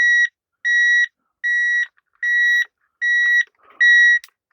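Even, high electronic beeps, about one every 0.8 seconds in a quiet room; the detector is false-triggering from nearby microphone interference.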